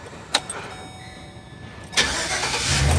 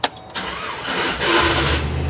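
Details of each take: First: 2008 GMC Savana shop van after starter replacement for a grinding noise: short clean crank, engine catches and settles into steady idle with no starter grinding; normal crank and start after repair. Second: 2008 GMC Savana shop van starting: harsh grinding rasp as the starter cranks, then the engine catches and settles to idle; faulty starter not meshing cleanly, to be replaced.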